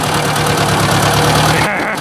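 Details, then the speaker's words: Ford 800 tractor after points cleaning and adjustment, small fuel tank possibly nearly empty: the engine at low idle has a faint, light tap on each firing stroke. It is less bad than before but still present, and the source is unknown. "that's not good i didn't want to hear that it's not nearly as bad but i can definitely hear something"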